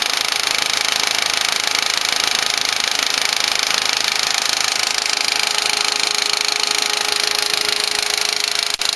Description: Some tell me it is the lifter (engine) Sound originates in rear of engine area. Noise is not constant - it comes and goes.